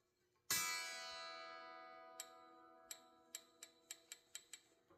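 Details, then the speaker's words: Partscaster electric guitar during setup: a plucked high E string rings, then small tinkles and pings are heard as it is tuned. The string is binding in the nut slot, which needs filing slightly. "sound. That's a telltale sign it's binding in the nut a little bit. So I'm going to have to file that out just slightly."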